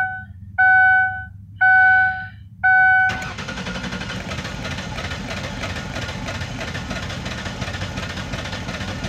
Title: 2004 ford taurus ses 3.0l v6 vin 2 Cranking but won't start please help